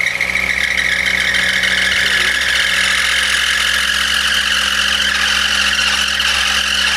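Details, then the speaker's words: VW Golf Mk1 with swapped 2.0L 8v engine on Dellorto DHLA carburetors, first start: engine runs properly but a loud constant high squeal from a slipping drive belt; belt to be tensioned. "it sounds like it is running like it should but the belt squeal is very loud and annoying we're quickly going to tension the belt and then give it another go"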